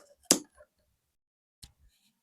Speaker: Ничего не гудит. Конец мучения.